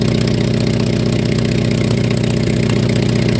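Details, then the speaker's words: Engine at steady idle: fast, even puffing tick about four per second on the exhaust beat; possibly an exhaust manifold cracked by an impact and leaking. "otras veces puede ocurrir que por algún golpe el múltiple de escape se haya roto y se escuche la fuga de"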